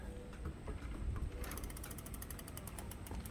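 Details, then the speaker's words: Lectric XP e-bike rear wheel after brake caliper repositioning, spun by hand: quick even freewheel clicking with faint motor drag, no scraping; disc brake not rubbing, normal. "But I don't hear it rubbing, so we're gonna leave it at that."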